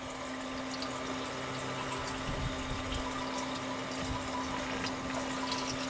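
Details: Continuous waste motor oil distillation unit running under slight vacuum with reduced reactor reflux, processing mixed old sump oil and transmission fluid: steady even hum with a soft trickle of distillate; the still runs normally with good flow.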